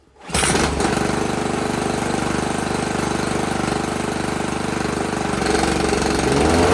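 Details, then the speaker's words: Toro 22-inch Recycler walk-behind mower after blade control cable replacement, started first without the blade engaged: steady, even single-cylinder chatter, picking up slightly as load comes on; normal running. "All right, so this should run just on its own without the blade, and then we'll engage the blade and see if it runs."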